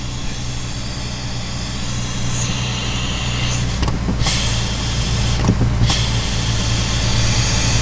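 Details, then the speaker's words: Failed brake booster on a Jeep Wrangler JK at idle: steady airy hiss as the brake pedal is pressed, vacuum leaking out through a bad internal rubber seal; weak braking. "so when you push the pedal down like that you can hear it constantly leaking just it's just leaking the vacuum out of the booster because one of the rubber seals inside of it it's bad"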